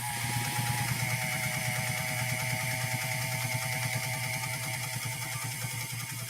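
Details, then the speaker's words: Pfaff 130-6 sewing machine sewing a straight stitch: the motor whirs at a high steady pitch with fast needle clatter, given too much speed ("too much gas"), so the material feeds unevenly. "you give too much speed to the sewing process you could hear that motor kind of I gave it too much gas"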